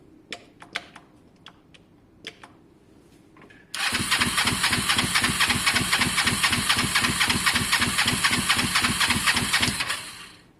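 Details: Kawasaki ER5 twin cafe project, air filters refitted: fast even starter churning about four beats a second for six seconds, never fires; both plugs show strong spark, owner suspects fuelling problem in carbs; crank no start.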